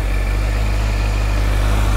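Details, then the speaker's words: Honda CBF 1000 four-cylinder motorcycle idling on original exhausts: smooth, even low purr with no knocks or ticks; very polished and quiet, the engine heard more than the exhaust; normal idle. "Et d'un point de vue sonorité, donc vous entendez les échappements d'origine, ça ronronne correctement, c'est très polissé, le niveau sonore est très modéré, peut-être même un petit peu trop modéré."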